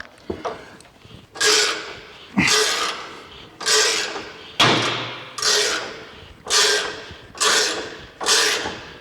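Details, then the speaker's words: Race-car coil-over suspension being compressed: harsh creaking bursts about once a second as the coil spring binds in several directions, offset in its cup because the weight jack bolt is misaligned and not centred on the spring. "As you can see, the spring is way bound up in many different directions."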